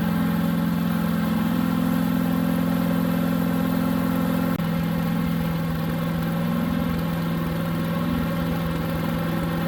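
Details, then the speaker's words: New Harbor Freight Predator 212 chipper shredder on fresh oil: steady single-cylinder drone with choke about three-quarters on, pitch dipping slightly midway; engine runs only on choke, fuel bowl then drained. "so get this thing started up and show you what it's doing as far as running on choke"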